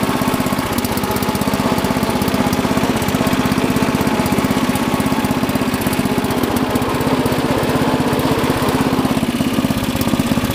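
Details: Rebuilt Murray Lawn Chief lawn tractor, 11 hp single-cylinder, already warm from mowing, rebuilt clutch, new belts and chain: steady even putter at fast idle, no misses or knocks; runs smooth and healthy.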